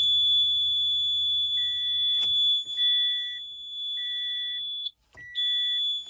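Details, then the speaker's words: 2012 Toyota Camry that won't start: a steady high-pitched electronic beep about once a second with no cranking, while the security light flashes; battery reportedly good, power lost everywhere except the dome light, cause unknown. "it doesn't start what is that noise guys what is this noise"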